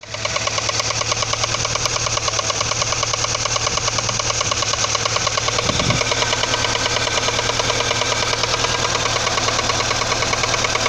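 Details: Audi 80 engine at idle: steady idle with a sharp, even internal knock about three times a second; cause not identified.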